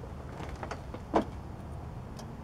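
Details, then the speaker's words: Riding lawn mower that won't start, starter suspected: a single short click as operator sits on seat, none when standing; seat safety switch working properly. "my seat safety switch is working do you see that when I sit down"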